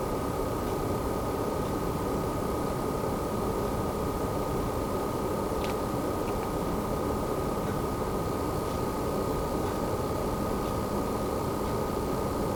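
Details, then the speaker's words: Newer-model base PS5 running a PS4 game, temperature into the high 40s: steady airy rush with constant high whistle; cooling fan has come on and spins fast; cooling fan running loud. "well as you can hear the fan has come on on this space PS5 the newer version going into the high 40s"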